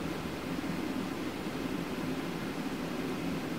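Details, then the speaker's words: DeepCool Gammax L360 v2 AIO water cooler, about two years old, uncleaned, CPU near 77–80°C compiling on 20 threads: constant even rush of fast-spinning fans, no rattle, tick or grinding; fairly loud but normal cooling under full load. "Ну и по шуму Я думаю слышно уже готово Ну ладно это вот все 20 потоков Да достаточно громко но он практически так не работает"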